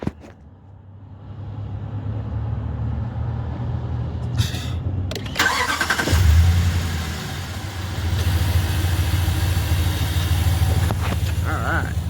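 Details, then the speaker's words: 2019 RAM 1500 Limited V8 cold start: starter whirs, engine catches and flares, then settles into a steady, even idle with no manifold tick; normal cold start, slight lifter noise normal for these trucks. "Sounds good. Um, even on cold start, it sounded good. This does not have the broken manifold tick or anything like that. Um, doesn't tick or anything weird outside what normal operation on these is."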